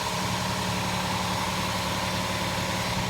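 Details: 2008 Honda Fit at idle: loud, raspy exhaust hum with a hissy, buzzing edge after the resonator broke off the exhaust piping, before welding; muffler also cracked and suspected leaking; exhaust leak.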